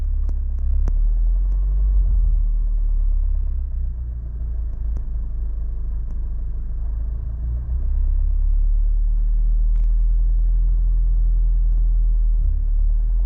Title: My new brand fk8 engine makes a knocking sound.